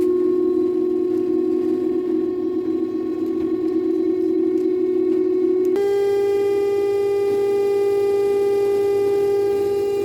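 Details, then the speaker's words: Daewoo 9 kg wash / 7 kg dry direct-drive inverter washing machine during spin as rpm rises: loud siren-like whine stepping up in pitch, not bearing noise; traced to a damaged stator Hall sensor, fixed by replacing it. "it's mean it's not the bearing noise anyway we have to check the bearing also but the problem it's not like a bearing but it is like a siren siren noise like a pool it's it's making huge noise"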